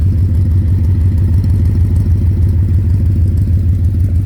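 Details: 2010 Ford Mustang GT V8 at idle: a dull rhythmic knock about three a second, louder near the oil pan and the torque converter/transmission; suspected rod knock, lifter tick or loose torque converter; unconfirmed.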